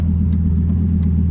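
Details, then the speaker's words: 2005 Lamborghini Gallardo, warmed up, driven on an 85-degree day after transmission fluid change and filter check: steady low drone with faint light ticks about three a second from the rear; noise persists, owner suspects a bad transmission, unconfirmed. "I still hear the noise. This is bad. Alright guys, so still the noise. Think I have a bad trance, but I'm just gonna drive it until it blows up or whatever, and then buy a new one."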